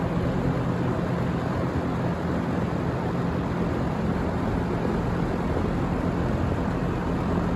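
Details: Vintage Windsor (Lakewood P-21) box fan from 1970 or 1971, running on low speed: even, deep rushing air with a constant low hum and no ticking; runs well, blade only slightly out of balance.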